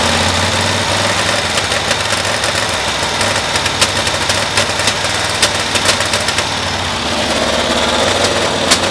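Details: 1972 Cushman Truckster after new coils and a resistor were fitted, air filter off and spark testers in place: drones at high revs with irregular sharp snaps, still misfiring around 3000 rpm; spark looks more consistent, cause unresolved.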